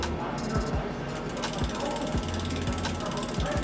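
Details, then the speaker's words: Norco XFR bike mechanical disc brake after bending the warped rotor straight at the spot touching inside the caliper: wheel spins freely with steady freewheel ticking, rubbing gone; normal freewheel spin. "and rubbing's gone see that easy"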